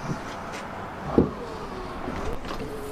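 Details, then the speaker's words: Fiat 500 rear wiper fault: squeezing the stretched, worn tailgate wiring bellows turns the motor on and off at will, giving a clunk then a faint, intermittent motor hum; the cause is damaged loom wiring. "So I squeezed it about here. In fact, I can actually turn it on and off at will by squeezing here."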